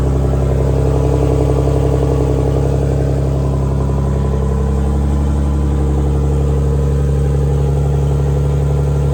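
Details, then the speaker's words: Big-turbo BMW E46 on a new tune, open downpipe with no exhaust, close to operating temperature; steady, even idle with a deep, loud exhaust drone and no misses or knocks, sounding healthy and settled. "All right. So, it's close enough to temp. It idles really good. I'm kind of surprised."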